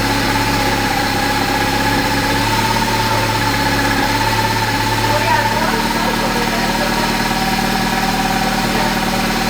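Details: 1973 Triumph Spitfire after sitting three years, first run after reconnecting wires and hoses: steady, even idle with a smooth low hum, no misses or knocks, settling slightly lower midway; runs healthy.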